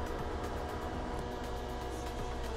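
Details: Vevor 8kW Chinese diesel heater after two seasons, second startup after cleaning for smoky start: steady fan roar with regular fuel pump ticks, little smoke; running normally.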